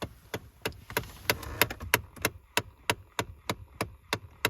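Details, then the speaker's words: Ford Taurus with no heat, blowing cold air; steady rapid clicking about three per second from behind the dashboard when the vents are turned on, a failing blend door (vent) actuator. "right so you will notice that this noise will be coming from behind your dashboard"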